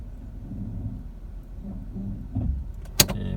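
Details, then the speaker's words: Nissan Almera that chirped from the front of the engine on cold starts and pulling away, after adjusting the drive belt: low, even engine hum as the car creeps forward in D; no belt chirp. "โอเคครับอ่าใช่มั้ยพอstartขึ้นมาเสียงก็ไม่มีละอ่า"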